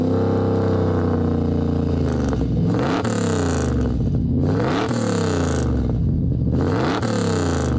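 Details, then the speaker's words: Camaro SS 310 hp V8, run after reportedly not starting for months: deep rumble climbing smoothly through repeated blips to about 3000 rpm and dropping back to a steady idle, no knock; healthy V8 revving. "Estoy feliz. Suena muy bien. A ver, a ver. Uy, suena bien, no se siente que golpee puedo acelerar y se quedó ahí regulando."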